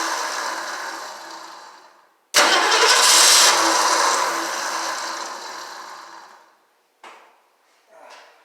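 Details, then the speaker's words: 1968 Ford Mustang Gold Nugget Special start attempt during restoration: starter grinds, engine catches roughly then dies, two short restart stabs fail; owner suspects losing spark or something wired wrong. "Well, as you saw, that was a fail. Sounds like as soon as it hits, I was losing spark."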